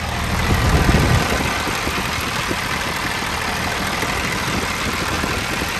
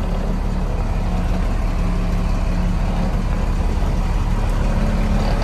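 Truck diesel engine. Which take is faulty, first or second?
first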